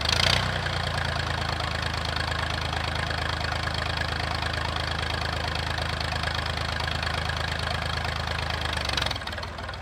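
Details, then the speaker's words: Massey 2500 forklift with a Perkins AD3 152 diesel, sat many years, suspected fuel issue, restarted. Steady, even diesel idle with a deep, regular exhaust beat, loud because the muffler is missing, with no knocks or misses; it runs well. "Now I'm gonna take her for a rip, but she runs good, eh?"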